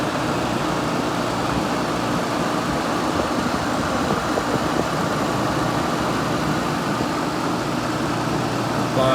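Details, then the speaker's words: Vintage 6,000 BTU Gibson Air Sweep room air conditioner at start-up, warmed by a heater beforehand; constant low compressor hum under even fan rush, no rattles, clicks or squeals; compressor runs steady and blows very cold, temperature uneven. "good temperature pretty uneven that's going freaking cold though"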